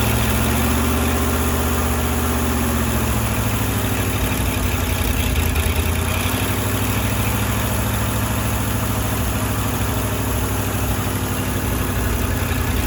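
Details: Firetruck V8, warm near 190 and kept from running hotter until a fan is fitted: deep, steady idle with even beat, no knocking or banging; timing set roughly, fine tuning to come; normal warm idle.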